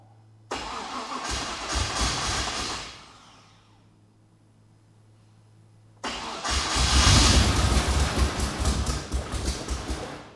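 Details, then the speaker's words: Project Ute's first start: ECU primed to expected fuel pressure, no tailshaft fitted. The first weak crank, which the speaker takes for a flat battery, dies away, then a stronger, faster crank catches and fires into a rough run; it spat something out. "it's running it's running okay so it starts okay"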